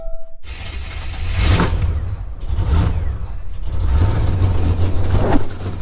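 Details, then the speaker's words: G-body with supercharged small-block Chevy, carb just swapped for E85, fuel pressure up at 14 psi, fuel still mostly gasoline: deep, uneven lumpy idle with slight stumble; running lean, still running out of fuel. "still full of gasoline. It's pretty lean. Pretty lean, mean idle."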